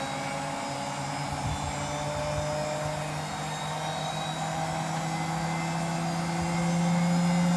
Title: Road to 30K - Hotpoint WMFUG942 - BROKEN! (Bad Motor Bearings)